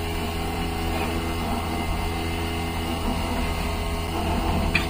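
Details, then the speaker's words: Grady White 251 boat: the back livewell pump runs with a steady, even low hum, sounding healthy, unlike the noisy forward Sentry pump. "turn the back one that's how it's supposed to sound so the back one sounds good"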